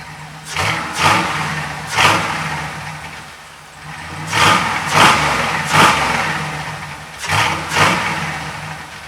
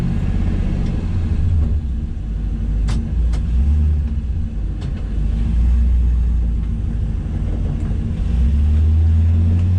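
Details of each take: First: 1966 Chevy El Camino with LS V8 swap, warmed up: clean crisp throttle blips rising and falling smoothly to steady idle, no misfire, knock or bad vibration; healthy running, intake noise audible, owner suspects an O2 sensor acting up. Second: 1966 Chevy El Camino with LS V8 swap, cold first start: idle rumbles then climbs and hangs high for seconds; the idle air control valve is blamed, which made it take off and shift into second; needs replacing.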